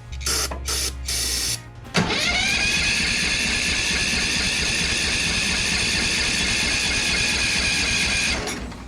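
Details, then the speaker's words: Craftsman ZTS7500 zero-turn, Kohler Courage engine, just after valve adjustment; steady fast starter whir for several seconds, spinning evenly with compression, much improved but not firing up. "Now it feels like it has no compression at all. No, it's definitely got compression."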